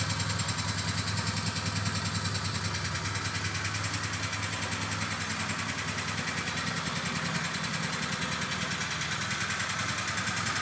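Steady idle with an uneven, clattery tick riding over the low thrum, roughly two and a half beats a second; cause unclear.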